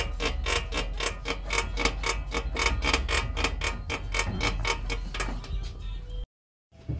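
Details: Car suspension being worked, rapid dry creaking about four per second; ball joint is dry with a cracked rubber boot, other side louder: ball joint creaking.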